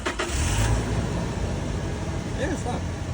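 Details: 2018 Toyota Hilux diesel no-start, fuel pump found to have power but a bad ground: starter cranks briefly, then the engine catches and settles into a steady, even idle, starting and running normally.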